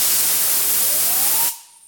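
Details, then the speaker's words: Classic Mini tapered roller bearing, cleaned and without lubrication, spun by hand unloaded: loud, dry rushing hiss with a rising whir, then an abrupt stop. "sounds very noisy because one thing there's not my only lubrication in it anymore because it's been cleaned"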